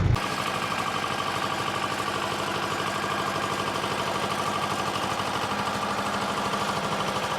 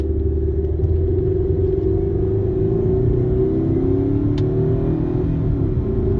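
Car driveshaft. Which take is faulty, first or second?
first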